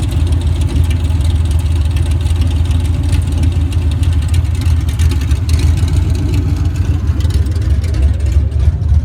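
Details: Cammed LT1 V8 Camaro: deep, choppy idle with muffler tone and a faint, fast light tapping over the exhaust rumble; owner asks the cause of the engine tapping.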